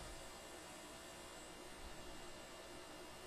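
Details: Upgraded hot air rework station at 390 degrees and 50% airflow, used on a PS3 controller motherboard (old station's fan used to stop and go); soft even airflow hiss with faint fan hum, no surging or stutter: normal running.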